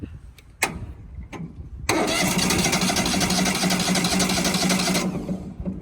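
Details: Wood-Mizer LT35HD sawmill engine: a few clicks, then the starter whirs about three seconds and it fires and keeps running, after jumpering a fuse that blew; starting system working normally.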